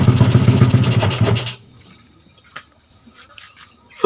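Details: Yamaha Jupiter Z bored up to 120cc with a 53.5 mm piston, first start after the rebuild: small single thumps along at a quick, steady idle for a second or so, then cuts out; sounds healthy.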